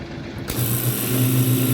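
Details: Refrigeration unit running smoothly after its fan motor, suspected as the noise source, was disconnected; it kicks in and settles into a steady, even low hum with no rattling or clanking.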